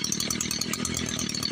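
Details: Echo SRM-210 two-stroke string trimmer after primer bulb replacement: steady even idle with a crisp rapid firing rhythm and no misses; runs normally.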